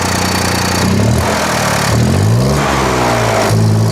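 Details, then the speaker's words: 2024 BMW X1 (U11) after a front-end collision, started with the open intercooler/intake closed off: catches, settles to a smooth idle, then revs rise and fall cleanly with no knocks or misses; normal start, idle and rev. "Sounds good. So our engine is idling, it's revving up. So basically from our end, we found out that there's no real issues with the engine itself, besides from the parts that we know is already damaged."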